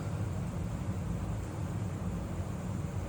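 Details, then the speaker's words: AC system after repairing a tripped breaker and short from a loosely hung, replaced cooling relay; thermostat calling for cool, 2-degree drop already: steady low rumble of airflow, refrigerant flow audible, no knocks or squeals; normal blower operation. "The thermostat is calling for cool. My blower motor is running. I can hear the refrigerant going through the system."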